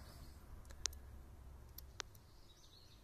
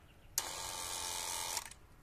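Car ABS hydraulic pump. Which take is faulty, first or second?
second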